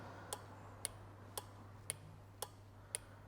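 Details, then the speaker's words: Automotive relay on a bench relay tester; crisp evenly spaced clicks, about one every half second, over a quiet low hum, relay pulling in cleanly; tester checks coil operation, not high-current contacts; normal relay operation. "I don't know if you can hear that with my mic um you can hear the clicking of that relay"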